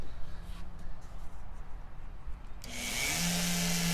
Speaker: the reality is is that it's not spinning in a perfect circle or even a tight enough Circle to not damage stuff can you hear it it Clickety Clacks a little bit